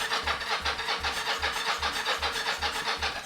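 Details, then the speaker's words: 1983 Yamaha XZ550RK Vision, neglected for about 20 years, fuel tank removed for cleaning, on a jump pack: regular cranking at about two and a half turns per second with occasional attempts to catch but no steady run. "oh it's trying to which is good"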